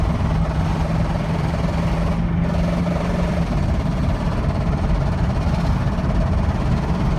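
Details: 2000 Ford Expedition 4.6 V8 with 264,xxx miles, while driving: fast, even knock over heavy engine drone; shifts smooth and drives normally apart from the knocking.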